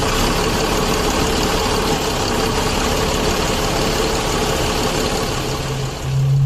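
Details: Mercedes OH 1526 bus diesel after faulty MR replaced with a serviced spare to cure limping engine at start: loud, low rumble runs on without misses or stumbles; now idles evenly.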